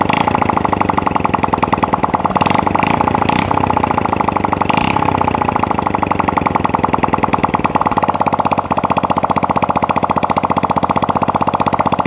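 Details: Honda Supra Fit single-cylinder idling with exhaust removed, after valve stem seal replacement and reassembled piston rings for heavy smoking: crisp even pulses, steady speed, no smoke from exhaust port; healthy.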